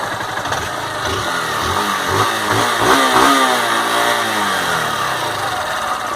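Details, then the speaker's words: Honda Fan 160 motorcycle, warm after a ride, in neutral, original with factory settings and valves never adjusted, nearly 12,000 km: smooth, even idle with a soft steady beat and a gentle blip, no tapping or rattles; normal warm idle. "barulho entendeu tá aí eu não vejo nenhum barulho que me incomode né Lembrando que a moto tá original tá com a regulagem de fábrica"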